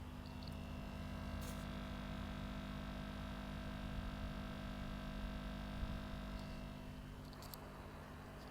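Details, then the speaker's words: Aquarium air pumps running with their noise-reducing enclosure lid open: low steady electrical buzz with faint even vibration, no rattle or pitch change; pumps operating normally at current temperatures, noise nearly gone with lid closed. "Ama bu derecelerde herhangi bir çalışmasında sıkıntı yok hava motorlarının. Yani kapağı açtığımız için haliyle ses burada var."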